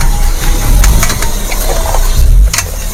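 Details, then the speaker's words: Suzuki R3, front-wheel drive, steering at full right lock with throttle: loud irregular tek-tek clacks over the engine, heard when making U-turns; worn outer CV joint that has lost its grease. "Ini dia posisinya kalau dia di fullkan kanan, nah kemudian digas, ada muncul bunyi Pak."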